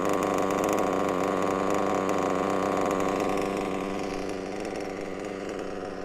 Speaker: A lovely Reds WR7 Diamond Edition engine running an absolute treat inside a Mugen MBX6T whatever it's called. Pleased with that, very, very pleased.